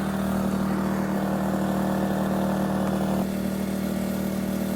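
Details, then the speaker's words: 2,000-watt generator running unloaded on non-ethanol fuel, started outdoors on a windy day to power a Bestarc flux-core welder. Smooth, even hum and steady low drone with no misses or knocks: the generator runs clean. "Ooh, that runs good. Non-ethanol fuel right there."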